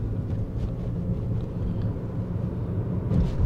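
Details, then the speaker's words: Toyota after a sunroof bracket rattle fix (clip wedged into the bracket gap, glass leveled), driving a rough, bumpy road; only low road rumble, no clunks or rattles from overhead. The sunroof now rides quietly. "这条路是比较颠的位置啊，是比较烂的路况，我们试一下听一下声音。一点声音都没有了，安静的很，这地方。"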